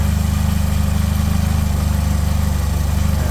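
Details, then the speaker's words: 1984 Dodge Omni GLH after fuel system work that included removing a fuel filter and running a straight line: steady, even low idle pulse with no stumbles, dips or misses; normal idle. "But, I mean, it idles. Um, like you go off to the stop light, works perfect. There's no stumbling, dying."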